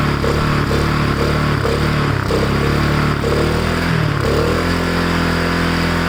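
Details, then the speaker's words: Ariens push mower with Kohler Courage XT-6 single-cylinder engine, low on oil, carburetor possibly needing cleaning: runs steadily with even chugging exhaust beat and a few throttle blips; normal running. "but it runs that's awesome"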